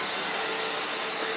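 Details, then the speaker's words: Panasonic MC-E468 vacuum with long crevice tool fitted, running after beater bar fix: strong steady high-pitched rushing hiss, no rattles or surging; healthy strong suction. "now anyway let's let's uh turn it on and let's see if we get it sucked up whoa feel the suction on that"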